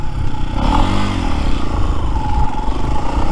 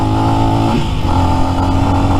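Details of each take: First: New Lifan X-Pect single-cylinder bike, under 100 miles, breaking in on AMSOIL break-in oil, stock with 15/46 sprockets: pulls smoothly through the gears, pitch rising with dips at shifts, running clean and even. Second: New Lifan X-Pect single-cylinder bike, under 100 miles, stock, at about eighth to quarter throttle: steady drone stumbles and cuts out intermittently then picks back up; spark plug ruled out, cause found to be valve lash out of adjustment.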